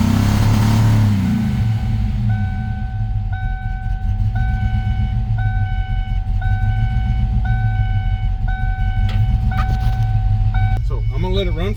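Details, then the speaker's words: 1993 Mustang Cobra started after sitting about 20 years: uneven, lumpy idle with stumbling low rumble and steady chime beeping; rough running, owner suspects a couple of stuck injectors or timing way off, more likely timing. "I think I either got either a couple stuck injectors or I got uh the timing is way out of whack it's either one or the other the way it revs it feels more like timing than anything"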